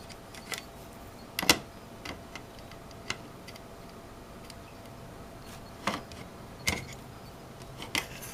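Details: Opened Netgear WGR614 v6 wireless router: faint steady high-pitched whine under handling clicks, traced to bad capacitors, nearly 600 mV ripple on the main power filtering capacitor; router also connecting slowly.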